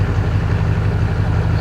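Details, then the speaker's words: 2004 GMC 3500 Duramax diesel pickup, started after fuel filter change and bleeding the fuel system: deep, steady diesel idle with an even low rumble, no misses or hunting; fuel system running properly, no filter leaks. "I cleaned up the area so we don't burn the truck down it should just start up"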